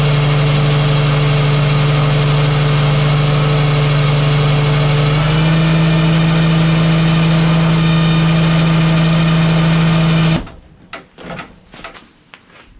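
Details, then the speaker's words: Walker mower gearbox-driven deck (PTO, not belt spindles) during repair test: loud steady low hum stepping up slightly in pitch midway, then cutting off cleanly; typical normal Walker gearbox sound. "Okay, that sounded perfectly fine. That's exactly what a walker should sound like. You get that loud humming."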